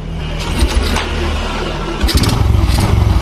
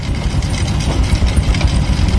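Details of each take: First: Carbureted Honda Supra X 125 after an engine rebuild, revving with the air filter cover off: a loud, regular clattering pulse over the engine from the noisy top end, which this model is known for; the exact source is not confirmed. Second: Honda Supra X 125 carburetted single-cylinder, freshly reassembled engine with replaced carburetor, air filter cover off: steady even low thump at idle with no misses or knocks; normal idle.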